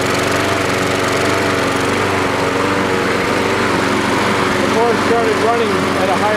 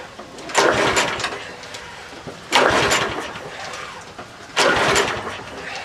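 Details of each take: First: Troy-Bilt 12AV566N011 mower after float bowl and main jet cleaning: steady even buzz, no surging or misses; running properly, normal. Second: Troy-Bilt 12AV566N011 mower, free used unit with unknown history and an automatic choke, no primer: three recoil pulls, each only a brief cough; hard starting because the filthy carburettor's hanging needle valve let the bowl overflow and flood it.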